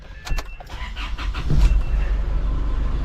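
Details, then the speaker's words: 2014 Isuzu D-Max 4x4 automatic diesel in park, after adjusting the neutral safety switch (it previously started only in neutral): brief cranking, then it catches and settles into a steady, even idle. Normal start. "Okay, well that seems to actually be it, because I did crank it down to the first, first cinch, and then I came back in and it started up."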